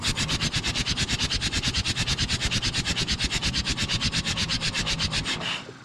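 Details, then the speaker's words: Forgotten John Deere 1010 track loader diesel cranking on the starter with a cylinder lacking compression, injectors suspected clogged and no exhaust smoke: fast, perfectly even whir about three beats a second with no compression pulses or firing; no compression. "and the last one that did not work want to hear what it sounds like with no compression"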